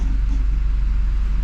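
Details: Hyundai Sonata after repair, restarted: even low rumble at idle with no clicking or knocking; the earlier clicking noise is gone and the engine sounds healthy.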